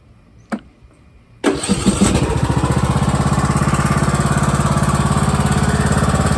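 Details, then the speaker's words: John Deere E100 lawn tractor, started with parking brake set, PTO disengaged, seat switch not disabled: one crank catches quickly into steady, even putter about three beats a second; healthy start and smooth idle. "But you can also run the tractor with the parking brake set and no one on the seat, and the PTO disengaged, obviously. So start it up."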